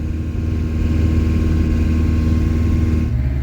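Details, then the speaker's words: Restored camper van with a new radiator and new tyres, on a road test approaching 80–90 km/h in strong wind: a steady, even road roar with no thumping or growl; tyre noise is normal. "il y a beaucoup de vent aujourd'hui je suis un petit peu secoué mais pour le moment honnêtement au niveau du bruit des pneus ça va"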